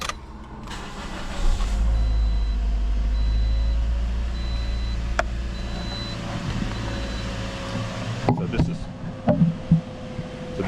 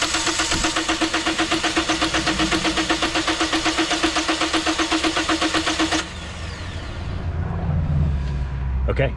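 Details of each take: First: 2010 Toyota Corolla after a crank-no-start was diagnosed as a defective fuel pump, confirmed with a pressure gauge, and the pump replaced: the engine cranks and fires promptly, then settles into a steady, even idle with no stumble; it starts and runs normally. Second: 2010 Toyota Corolla: an even starter chug at about four per second for six seconds, and the engine never catches; crank no start, confirmed by fuel pressure gauge test as a defective fuel pump.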